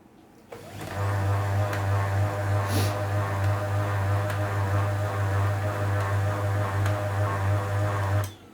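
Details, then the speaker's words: LaserJet printer running after grease was applied inside to fix a noise problem; heavy steady low drone pulsing about three times a second, noise only slightly reduced, noisy fuser suspected, not confirmed. "तो थोड़ा सा मतलब जो आवाज़ है दोस्तों यहां पर थोड़ा सा रिड्यूस हुआ है"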